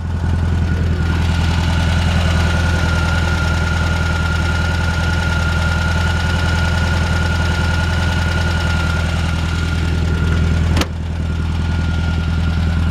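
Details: 1978 VW Super Beetle convertible, fuel-injected air-cooled engine, running: steady, even idle with a smooth low thrum and faint fan whine, no misses or knocks; engine sounds healthy, described as peppy.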